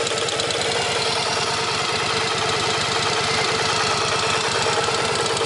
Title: 1983 XV750K Virago idling to demonstrate rattling noise.